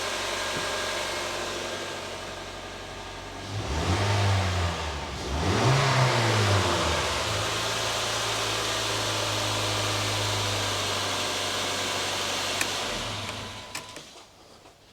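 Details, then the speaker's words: 2010 Honda Jazz 1.2 petrol i-VTEC, just after replacing the spark plugs, panels still off: even, steady idle with two clean throttle blips that rise and settle smoothly; running normally on all 4 cylinders, no misfire. "all sounds good to me. It's running smoothly on 4 cylinders."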